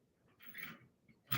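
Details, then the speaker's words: Colson loop-tail bicycle, chasing crank threads with a greased right-hand national-fine tap: short dry squeaks and crunching as it is worked in, indicating dry, rusted threads. "That squeaky sound, that's not what you want to hear on a bike. Oh, boy. Oh, let's work it back and forth. Yeah, you don't want to hear any of that squeaky stuff when it comes to threads. That means dry, rusted thread."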